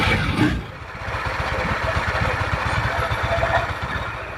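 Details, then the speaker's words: Yamaha NMAX scooter at idle after startup: dense, rough clatter over an uneven idle that persists with the CVT pulleys removed; internal engine noise, exact source unconfirmed. "the sound seems to still be clear. The rough sound is like this."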